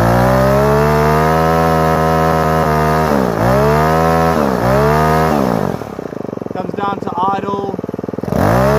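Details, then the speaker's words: Repaired Ryobi two-stroke strimmer started on choke after priming, carburettor screw turned a quarter turn; buzz revs up and sags unevenly, then settles into a lumpy, burbling idle; rough idle from carburettor mixture setting, owner thinks fine tuning will fix it. "magic a little bit blubbery I'm sure this with a fine tuning"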